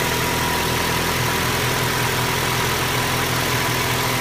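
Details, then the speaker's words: 2012 Ford Escape 2.5L, low coolant, warming engine: light quick knocking/tapping idle noise sounding like valve train from the cylinder head, actually a crack in the block between cylinders, usually two and three; worsens as engine heats. "what it has is a knocking SL tapping noise and it sounds like it's coming from the cylinder head in all reality um the problem that develops on these on some of them not all of them is a crack between the cylinders"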